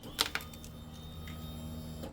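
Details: 2005 Honda CBR600 F4i, key-on after a newly installed keyless ignition system. A faint, steady low whir sits under a couple of clicks as the fuel pump primes normally, before the bike starts.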